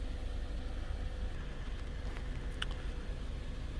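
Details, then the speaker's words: 2013-2020 Ford Fusion 2.0L EcoBoost idling after spark plug replacement: a steady low rumble and faint hum, no stumbles or misses, no faults after running a while. "Alright, we've let it run for a while. Runs okay, no faults came up."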